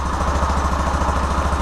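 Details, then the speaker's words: Yamaha Fazer 250 after repair of an engine ticking noise, with a part replaced, valves adjusted and cam chain tensioner adjusted: steady even single-cylinder idle with no ticking, rattle or clatter. Engine quiet and healthy. "Tá bem, tá bem silenciosa, né? Porque além dele ter trocado a peça aqui, ele já regulou válvula, já regulou o esticador da corrente, então tá bem reguladinho."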